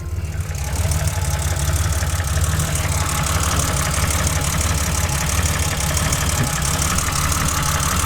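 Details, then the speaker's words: BMW E30 with worn M20B25, hood open, heard from underneath: rough, uneven idle with loose clatter over a low rumble; leaking oil off the block onto the skid plate, source unknown; noisy idle, cause unfound. "You can see how much noise it makes underneath. It's leaking a bunch of oil down there."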